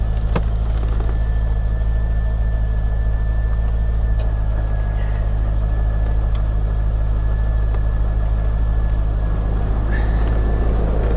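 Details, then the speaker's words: Copart salvage auction car with crash damage, check engine light on: deep steady idle, even low rumble, no knocks, misses or surging. Engine sounds healthy. "sounds good it sounds good where's that hood release there we go check engine light is on"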